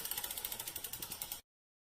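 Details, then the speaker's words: Folding bike wheel coasting during disc brake caliper adjustment: quick even freehub ratchet ticks, about fourteen in just over a second, then they stop; the freehub is normal. "And it does help if you continue pedaling the bike, otherwise you hear the clicking of the wheel, and that can make it difficult to hear the brakes."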